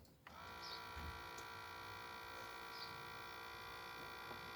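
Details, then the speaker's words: BMW E36 325 TDS diesel (Bosch VE injection pump) with a hot-start problem. A replacement electric lift pump is tested with the ignition on: a thin buzz holds one steady pitch but seems to fall off and sound feeble. Weak delivery is suspected, and the old pump is refitted. "tu vois on dirait qu'elle tombe mal tu as entendu là je remets l'ancienne"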